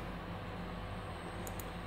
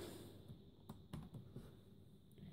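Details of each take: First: Dell Latitude CPx-H500GT laptop optical drive spinning while a game loads: quiet steady low buzz under faint hiss; normal optical drive reading noise. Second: Dell Latitude CPx-H500GT laptop at power-on: quiet start then a short high double beep, POST warning of invalid configuration information because its CMOS battery is dead.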